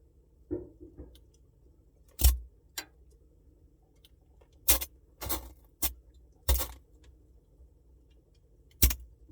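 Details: Samsung Bespoke refrigerator noise: faint steady hum with irregular sharp jangles and rattles, a few every several seconds; abnormal rattle somewhere in the fridge, cause unknown.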